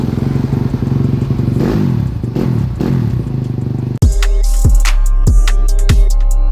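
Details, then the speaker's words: Yamaha YZ250F single after 2-3 months of no-start, found low compression on leak-down test, fixed with new piston and rings, valve clearances and timing set: steady fast thump with crisp throttle blips, no knock or misfire; normal running. "There we go. She runs, boys."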